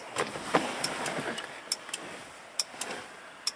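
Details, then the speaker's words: RB25-swapped Datsun 240Z, key out, with 30 A main fuse plugged in: sharp irregular clicks two to three a second as the ignition relay cycles over and over, voltmeter showing 3 to 12 volts cycling; suspected electrical leak. "here is my problem what's making that noise here's what's making that noise this is the ignition God guys sorry I knew better than to do that but well this isn't working ignition relay going over and over and over"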